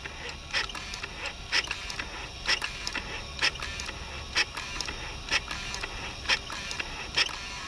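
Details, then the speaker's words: Mercedes V12 Egas throttle activation, driver's side: crisp even clicks about once a second over quiet background as the throttle actuator cycles; both units and the control module work fine. "So both units work just fine. I have no problems with the control module, which is a good news because this is an expensive piece."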